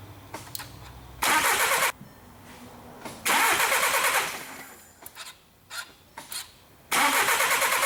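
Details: 2011 VW Jetta 2.0 TDI, towed in with a no-start and low fuel pressure codes, with a gauge teed in after the supply pump; the starter spins in short bursts but the engine never catches.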